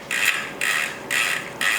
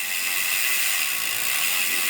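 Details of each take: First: Custom-built Rourke bicycle being serviced: short bursts of light, even ratchet clicking as the rear wheel spins, with no grinding or dry rasp. The freehub sounds normal and healthy. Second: Custom-built Rourke bicycle on stand during service: freehub ticking, chain clatter and rattle through gears, hesitant upshifts; indexing needs adjusting.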